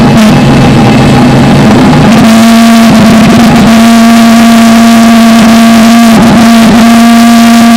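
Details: Valveless pulse jet, blower-assisted start with fuel pressure getting low: blower rush gives way to a loud, steady buzzing roar at a constant pitch; lit and running strongly.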